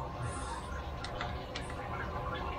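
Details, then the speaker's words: Cheap eBay Chinese 5 kW diesel air heater, freshly installed for a koi pond bunker, in its warm-up cycle on level three: soft sparse fuel-pump ticks over a low fan whir, intake and exhaust working fine. Normal warm-up operation. "uh the diesel pumps go in the Fan's going it's still on a bit of a warm-up but come on level three at the moment and the intake and the exhaust gas is telling you that's all working fine"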